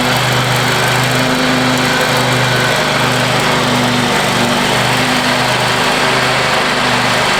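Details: Free Craftsman riding mower after power wash, deck lowered, mowing a yard; steady even drone with smooth repeating pulse, no misses or knocks while cutting, owner says running sweet; normal running under load.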